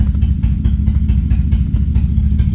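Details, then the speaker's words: Car with random misfires, single cylinder-one misfire code, eventually entering limp mode; low lumpy V8 idle with uneven beat and occasional dropped pulses, engine missing on a cylinder at idle. "there's missing again see which cylinder it is now"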